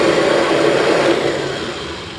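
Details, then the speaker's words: 1996 Kirby G4 vacuum after new front and rear motor bearings, transmission in neutral; smooth steady whir winding up faster and fading evenly, no snoring or clacking; normal motor wind-down, bearings good. "much faster Oh fantastic okay so motor bearings are in great shape"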